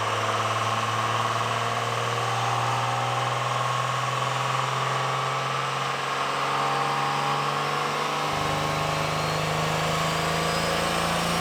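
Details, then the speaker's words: 1996 Dodge Ram 2500 with new 6.1 L stroker 12V Cummins on the dyno, at throttle: loud steady diesel roar with an uneven flutter underneath; injection pump rack hung, pedal stuck, engine running away until braked down. "It starts fluttering, and I've heard that sound before. In fact, some people thought the engine was coming apart, but I knew instantly it was sounded like an injection problem."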